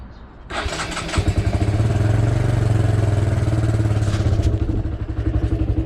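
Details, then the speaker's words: Motorcycle pre-ride check: starter catches after half a second, then a steady, even low single-cylinder idle with regular pulses and no knocks or rattles; normal start and idle. "that's your first check done um everything is running you can hear it's running away they are no problem at all"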